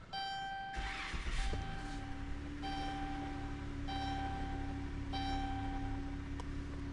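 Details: 2014 Dodge Grand Caravan with a just-replaced engine, code P0023 (bank 2 camshaft actuator circuit) now stored, no longer active: engine starts and settles into a smooth, steady low idle under a repeating dash chime, no stumbling or rattles; runs fine.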